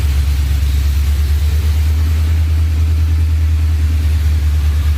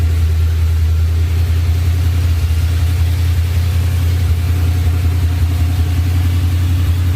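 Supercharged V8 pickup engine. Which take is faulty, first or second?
second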